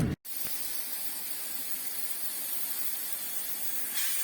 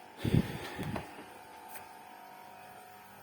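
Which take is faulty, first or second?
first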